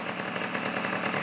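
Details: Simson S50 two-stroke moped with sport exhaust, started first kick after long transport: fast, even buzzing idle with no misses or knocks, running cleanly right after starting; normal idle.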